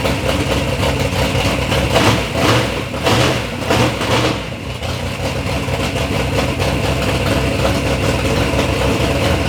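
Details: Third-gen Camaro with big-block Chevy V8, first start-up after years of building: deep, even burble with a few quick throttle blips settling back to a steady, smooth idle; normal, healthy idle.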